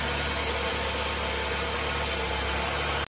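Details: Toyota Corolla Twincam started after about four days unused: steady idle with a constant raspy hiss from a pinched, brittle hose; the noise is attributed to a faulty PCV valve.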